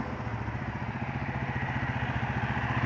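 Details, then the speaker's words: 1992 Kawasaki KLR650 single after carburetor overhaul, electrical issue from fried wire harness still unresolved: steady, even thumping about three and a half pulses a second, clean and unbroken; running healthy. "All right, just got the KLR done. Well, at least got it running good. Went through the carburetor on it."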